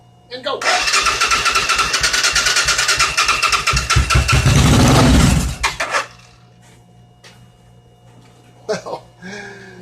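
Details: 1986 Suzuki Intruder V-twin motorcycle project, weak battery: catches after brief crank and runs with an even, lively beat on both cylinders before shutoff; normal idle.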